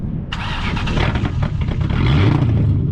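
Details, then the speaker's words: MG ZT 260 with Ford V8 running with rear silencers (back boxes) removed, after repairs, fuel filter still to be sorted: starter catches, then deep, loud, booming unmuffled V8 rumble; loud exhaust from missing rear silencers. "t it's running, it's got power, and in a minute you'll hear it without the back boxes on. It sounds amazing."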